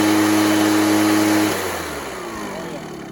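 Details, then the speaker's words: Echo PB413H backpack blower two-stroke with aftermarket Chinese carburetor, after fitting a new NGK spark plug: clean, steady idle hum with no sputter or burble, then sound drops away; normal idle, improved by the plug. "Sounds a lot better with the NGK plug. The idle was perfect, no burbling or anything, straight up to high, smooth, no burbling."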